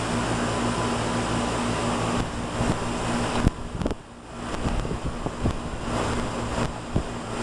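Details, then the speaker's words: 1995 Tempstar 5000 air conditioner condenser, 30 years old, at its first startup of 2025 after sitting since about October: steady fan rush over an even low compressor hum with no rattles or squeals, running normally. "All right, she's on. Getting warm. Hear the compressor getting the juices flowing."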